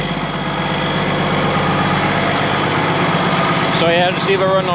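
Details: ERF EC11 lorry diesel, just MOT-passed, left on fast tick-over in the yard to warm through for about an hour; steady even beat at raised idle, no knocks or misses; normal fast idle, sounds good.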